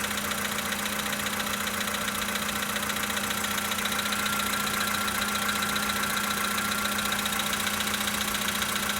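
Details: 2013 VW Polo Sedan Sochi Edition, 65,000 km, cold start idle: steady light tapping about two or three times a second over the engine note; engine knock, cause not yet known.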